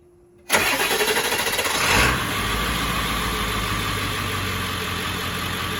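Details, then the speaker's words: Van's diesel on its stock starting batteries, fully charged at about 12.89 V resting after a long drive: brisk, even cranking for about a second and a half, then catches into a steady clattery idle, charging about 13.8 V; healthy start. "We're gonna fire it up so that you can hear the speed at which it cranks over, and then take a look at the charging voltage, and then we'll put the new batteries in and do a comparison."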